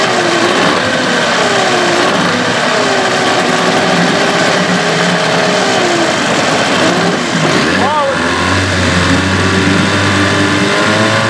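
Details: Evinrude/Johnson 15 HP two-stroke outboard running with a high buzzing note and a steady whine wavering slightly with revs; the whine is less bad since the drive shaft was swapped but persists, source not found; motor deemed parts.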